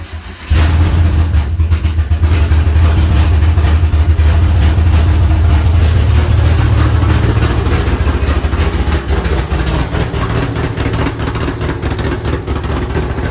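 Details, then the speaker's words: DSM build with electric fuel pump on, mechanical fuel pump mocked up: quick catch into a strong, even low rumble holding steady with no misses or knocks; normal start and idle. "Whew, baby. Wow, that sounds really good."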